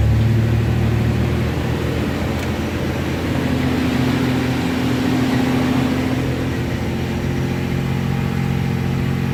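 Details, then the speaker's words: 1992 Chevy S10 2.8 V6 5-speed after coolant temp switch replacement and a new fan clutch: steady low engine hum under a loud, even whoosh from the strongly engaging fan, 14 volts and good oil pressure. Normal. "all right so everything's topped off we go ahead and fire it up and you're gonna hear big old fan noise I just put a fan clutch on it so it's practically brand new so it does kick in pretty good"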